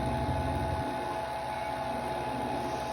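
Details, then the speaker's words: Harvest Right freeze dryer vacuum pump after installing a new 3/8" drain ball valve, tested with water tube manometer: steady even drone, no surging or gurgling; pump pulling vacuum normally. "okay so the vacuum pump is sucking really good now"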